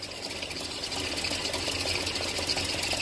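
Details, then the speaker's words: Land Rover Series engine at idle: light fast uneven ticking, a little over two clicks a second; rocker tick thought solved, owner suspects an exhaust leak at the downpipe bolts mimicking lifter tick, unconfirmed; ticking at idle. "I've also heard of exhaust leaks sounding like lifter tick. So if I solve the exhaust leak issue, maybe the quote lifter tick will disappear too. Yeah, I can hear that."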